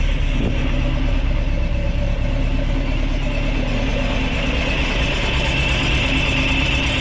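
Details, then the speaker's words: Ford crossflow race engine in a TVR Vixen, rebuilt with a loaned cylinder head, first start: deep even note holding steady and revving up cleanly without knocks or misses; runs healthy, not yet warmed up. "and of course at the moment seems like it runs through a winner we'll see how it goes"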